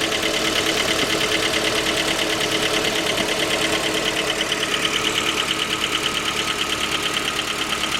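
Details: J20A engine (2010), cold idle: sharp, regular metallic knock about three per second. Knock began at 10,000 km and seemed to grow after oil changes; dealer checks were fine. Cause was a scored crankshaft journal on cylinder 3, blamed on non-recommended oil; short block replaced.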